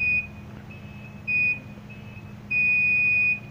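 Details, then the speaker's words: Phone board with current draw that stays high, multimeter on continuity across a capacitor: steady loud beeps showing a dead short, so the capacitor is damaged and is the cause of the short. "bu kısım uçlar ses yapıyor, bu kondansatörün hasarlı olduğunu gösteriyor"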